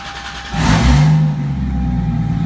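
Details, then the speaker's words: 2JZ engine with a 70 mm turbo, first start-up, now running with oil: revs up sharply, then drops back to a smooth steady low idle with no knocks or rattles; normal running. "Sounds about 10 times better now, yeah."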